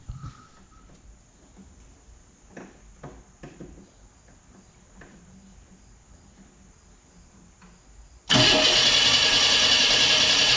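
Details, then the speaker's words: 1989 Pontiac Firebird with about 30,000 miles, sitting since 1991, first start after a fuel pump replacement with fresh gas: after a long quiet spell it fires into a loud, slightly uneven idle that gradually smooths out. "Running, not running good, but it's running. Actually, it's starting to smooth out a little bit."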